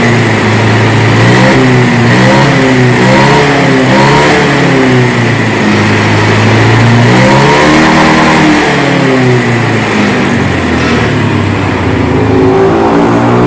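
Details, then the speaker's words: Honda Beat scooter that hesitated and stuttered on initial throttle and sometimes stalled, after fuel pump and spark plug refitted: clean blips rising and falling smoothly, no stumble; fault found to be the fuel pump. "Jadi masalahnya hanya pada pompa bahan bakar ."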